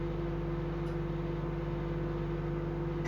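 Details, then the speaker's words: Dirty microwave being assessed for repair: steady low mains hum with even fan whir until switch-off, turntable turning; electronics, transformer and motor all fine, fully functional, just filthy. "that's turning the how you call it, the table, so it's fully functional."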